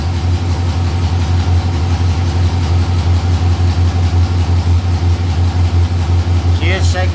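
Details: 6.0L LS-swapped S10 V8 at idle: deep idle loping and pulsing about three times a second instead of smooth; short-term fuel trims up to 43 and 39, spark a little off; fuel starvation as rust from the gas tank clogged the filter.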